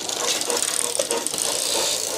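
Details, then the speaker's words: Old Motobécane city bike with a new rear derailleur, high limit screw not yet set and cable not connected: rattling clatter and chain slap as the chain overshifts off the smallest cog. Fix is screwing in the limit screw. "voilà je vois que ça déraille ça a déraillé c'est sorti la chaîne est sortie donc ça veut dire que je dois visser cette vis pour que ça justement le dérailleur il aille pas si loin"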